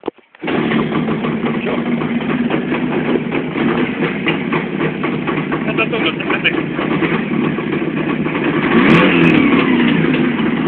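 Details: ČZ 350 two-stroke motorcycle revving: steady low hum under the exhaust that persists as revs rise. Worn bearing droning; suspected generator, wheel or gearbox bearing.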